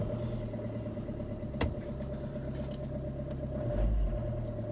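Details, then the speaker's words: 2014 Vauxhall Combo diesel van, 143,000, cold start first thing in the morning after injector and seal work on its no-cold-start fault: steady, smooth low diesel hum, even running, no misses or knocks; healthy cold idle. "i wanted to wait till first thing this morning because that is going to be the ultimate test oh guys that's definitely perfect"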